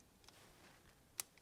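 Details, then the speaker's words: Nikon Z 24-70 lens after repair: a cracked focus-group flex cable, which caused noise at power-on and a lens error, was replaced; now only soft ticks and one sharp click at power-on, no grinding or buzzing, focusing and shooting normal. "开机以后不再异响，对焦拍照全部正常。"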